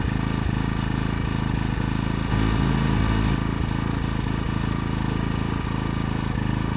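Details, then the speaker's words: AiVolt 1600 W gas portable inverter generator just started, idling in eco mode while charging a phone: soft, steady low putter, even and unhurried with no knocks or hunting; normal idle. "Right now, I've got it on um eco mode. You can barely hear it idling."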